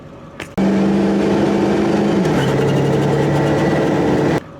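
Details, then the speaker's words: 2001 Ford F250 7.3 Powerstroke with tuner, daily driven: the engine note steps down between shifts with a faint fluttering turbo chirp; the truck is down on power at about 25–26 psi boost, and a loose wastegate rod or failing diaphragm is suspected. "it makes like, the turbo makes like a chirping noise or something in between shifts, and just kind of randomly it would be like bzz, doot, doot, doot, doot, doot, doot."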